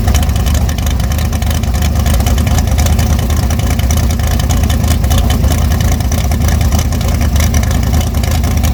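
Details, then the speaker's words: Short-stroke big-block Chevy on its first fire-up, outside in the snow at 18°F, timing not yet set, revved to 6,000 rpm: loud, deep, lumpy V8 roar with no clear knock; carburetor a little small for the engine. "That's 6,000 RPM. Wow. Short stroke it runs like a little motor. That carburetor's a little small for it."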